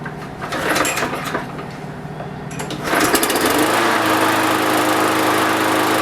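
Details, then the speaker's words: Lawn mower that would not start after sitting all winter with fuel in it, after carburetor main jet cleaning and cable adjustment: a couple of pulls, then a steady even buzz without surging or misfires; normal running. "that sounds pretty successful to me"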